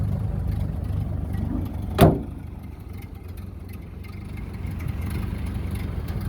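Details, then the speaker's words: 1930 Ford Model A barn find, driving after 40+ years following a head gasket replacement, a new wiring harness and an oil pan cleaned of sludge: a steady low drone under road noise with one brief knock, holding an even pace; sounds healthy. "finally out 40 years way out and running got it out for a little spin today we're in a tip-top things really good"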